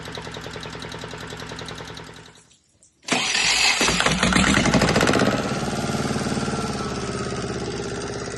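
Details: Volvo Penta 2002 marine diesel from a 1987 Liberty Yachts Pied Piper 28 sailboat, after repair and fuel bleeding: cranking pause, then it catches and settles into a steady, even run with no knocks or misses; running properly.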